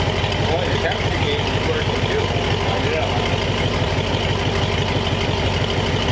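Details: Replacement flathead V8 (35/6 block) for 1934 Ford on a run stand, idling to temperature, 185°F after 22 minutes without overheating; steady even low burble with regular beat, no knocks or misses; normal idle.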